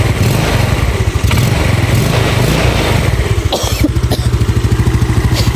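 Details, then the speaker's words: Yamaha Nouvo carburetor scooter after its carburetor vacuum was swapped for a Xeon unit: idles and revs fairly evenly with only rare faint pops, much better than the earlier loud backfiring. Upper valve seals are worn, causing weak compression. "Nah ini saya agak sedikit ya kalau di kuping saya terdengar masih ada nembak sedikit banget ya tapi itu menandakan kalau untuk saya saya katakan itu bagus ya ketimbang yang tadi ya"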